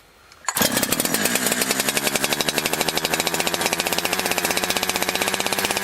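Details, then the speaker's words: Holzfforma G372 XP chainsaw that wouldn't hold a tune, now with new crank seals (sealed bottom end): quick pull-start, then a steady high buzzing run with an even beat and no surging. Running consistently, and the tune has barely changed. "all right so I've let it warm up for a few minutes and it seems to be running pretty consistently um tune hasn't changed that much"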